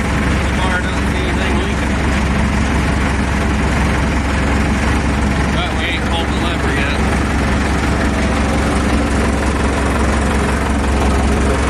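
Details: Deutz 6207 tractor, F4L912 air-cooled diesel, previously seized after sitting several years, running after reassembly: steady even diesel clatter with low drone, no misses or knocks: normal running.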